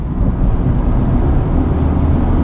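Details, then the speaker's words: 2009 Renault Clio Dynamique on a test drive: heavy engine drone rises when the accelerator is pressed, but the car doesn't pull any harder. The clutch is slipping and needs replacing. "you hear it you press the accelerator and all you get is more noise right"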